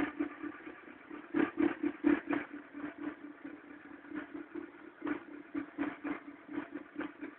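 A cold idle with an uneven clattering pulse, about four beats a second, over a steady hum; something's rattling while cold, cause not pinned.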